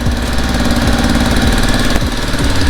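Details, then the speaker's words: Cheap $40 Zuma 50F scooter, first start on premium fuel: small single idling with a loud chuffing low putter and puffy pops on each firing stroke, a definite exhaust leak; stalls on throttle, idle possibly set too low. "definitely exhaust leak but she's running man"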